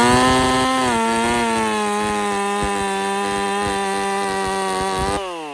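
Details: Husqvarna 50 Partner 5000 hybrid race chainsaw on its first cuts after a rebuild with a machined piston taper, cutting wood too big for the bar; a strong, steady high buzz holds pitch through the cut, then eases off. Normal running under load.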